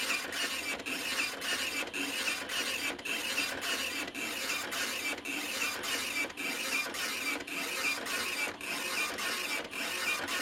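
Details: OKI ML321 Elite dot matrix printer, almost 30 years old, after fitting a refurbished roller/platen: steady rasping print-head buzz in even bursts, about a line a second with clean carriage stops; printing normally, line spacing now correct.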